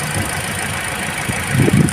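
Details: Toyota Altis petrol engine idling unevenly and vibrating, lumpy low thumping from a cylinder not firing; suspected faulty ignition coil, checked by unplugging coils one by one, low power.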